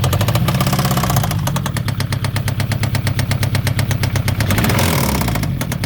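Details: Citroen ZX 1.9 engine starting and idling with a sharp, regular knock tapping over the low rumble, about three a second.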